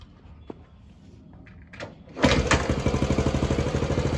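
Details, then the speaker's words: 1979 Honda CT90 Trail 90, long unused, first start on choke: some clatter, fires on one kick and settles into an even, steady fast-idle putter; running healthily. "holy smokes wow that's amazing I got to say I am in shock myself this thing fired right"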